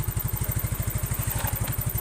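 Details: Carbureted Yamaha Mio scooter being set up for hesitation on first throttle, high fuel use and weak power: a steady, even single-cylinder putter at idle with regular low pulses and no stumbling or misfire, so the idle is normal after carburetor setting.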